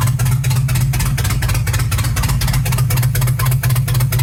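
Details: Chevy 350 V8 idling with a rough, uneven lope, stumbling puff about four times a second; misfiring on multiple cylinders despite good compression, cause unknown.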